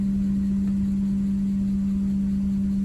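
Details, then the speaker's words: 2008 Porsche Cayenne S 4.8 non-turbo: steady low hum at one fixed pitch over soft rumble as the failing blower motor runs a few seconds, then cuts out; motor replaced. "a couple weeks ago my lower motor started making a little bit of a funny noise and now it'll come on for a few seconds you can hear it"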